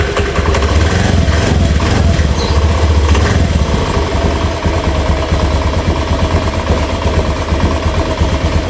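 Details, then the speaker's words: Honda Beat FI scooter, engine fully rebuilt about a month earlier: normal at idle, but at quarter throttle a rough, gritty scraping rasp; suspected CVT or piston, traced to worn, pitted roller housing and out-of-round variator rollers. "Itu dia ada suara ngerik seperti di CVT bisa juga di bagian piston ya sekarang kita cek dulu bagian CVT nya dulu ya"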